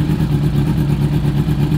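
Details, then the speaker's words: 2000 Yamaha R6 after carburetor cleaning: a fast, even idle with all four cylinders firing and holding idle. Cylinders one and two had been burning slower, and the carbs are not yet synchronized. "Ya ahora s escucha bien ya no me falta sincronizarla pero la voy deja prendida miren porque ahí se mantiene"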